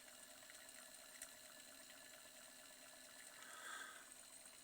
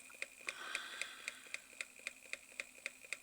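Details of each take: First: Reverse osmosis booster pump, fitted with a replacement motor after the original knocked due to a worn plastic front-bearing seat, running under load: quiet, even hum with steady water flow and no knocking; normal running. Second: Reverse osmosis water pump running: sharp, light knocks about four per second at steady rhythm; worn plastic front bearing seat gives play, letting the armature strike the magnets.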